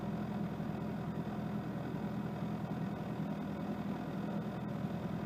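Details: 1992 Mitsubishi Lancer GTi EFI after newly installed MAF sensor, cold start: steady, even low hum with no misses or stumbles, speed holding level; smooth, healthy cold idle.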